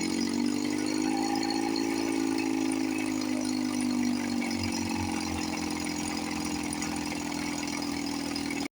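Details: 1954 Johnson 5.5HP two-stroke outboard, revived after about 60 years with carburetor rebuilt, no thermostat, fuel bulb hand-pumped. Steady fast-idle burble with slight pitch drift, no misfires or rattles: normal idle.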